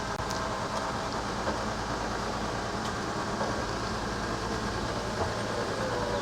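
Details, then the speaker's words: Coachmen Sportscoach 380MBS Class A diesel pusher on Freightliner XC, slide-out after repair including cleaning the gears; steady even motor whir with no clicks, binding or strain; normal operation. "I think that's about as that's as good as it's ever been I think basically it's performing normally"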